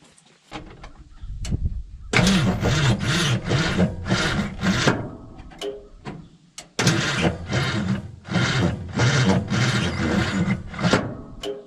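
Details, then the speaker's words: 1969 Ford F-250 Highboy 360 V8: sluggish, uneven starter groan at about 1.5 turns a second, never catches; ground cable clamp getting hot, suspected poor ground, bad starter or tight engine. "Well, our ground cable is really hot. I don't think we're getting very many amps through that little clamp. These things, I hate these things. Either that, or our starter's bad, or our motor's tight, or a combination of all three."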